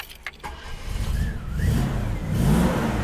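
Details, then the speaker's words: Triumph Stag Mk2 with a freshly built V8 being run in; it catches quickly into a deep even rumble that rises cleanly on throttle, smooth with no knocks or misses. "yes. That's amazingly smooth, isn't it? Quite lovely, isn't it, bud?"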